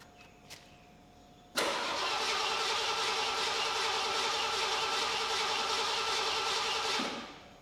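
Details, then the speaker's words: 1982 Ford LTD with vapor lock problems, after installing an in-tank fuel pump: quiet pump prime tick, then a brief crank catching quickly into a steady, even run for about five seconds before shutting off. "Yeah. There she's running."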